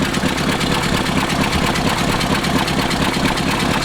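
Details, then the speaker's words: 1963 Ford F100 4x4 engine, picked up with a possibly bad motor: low idle that surges and sags about twice a second in an uneven rhythm, a loping idle of unknown cause. "This is kind of an interesting one, but it had gone back to, you can hear it kind of loping a little bit."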